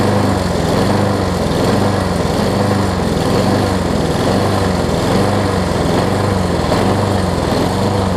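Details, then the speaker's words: Craftsman self-propelled push mower after a new flywheel key and carb, the float tapped in case it was stuck, needle and seat looked good: the engine runs loud but surges and wavers about once a second. Running rough, cause not found. "Yeah, something's still not right with it."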